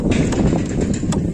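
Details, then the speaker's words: Tata Indigo, before the fix: loose, uneven metallic clatter in quick bursts over low rumble from brake caliper slider pins rattling in their bores. "मैं आपको सुना रहा था कैसी खड़खड़ आवाज ए रही थी इसने कैलिपर में"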